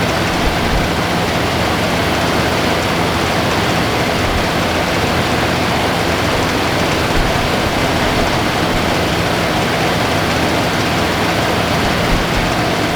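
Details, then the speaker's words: 1978 Lincoln Town Car V8, first start after about 25 years stored, idles cleanly with a steady rumble, a smooth hiss on top and no hunting. Idle has been set down while stale fuel is pumped out; the choke isn't coming off properly. "okay got the idle squeed down and we're just pumping the old fuel out a long there take a few minutes"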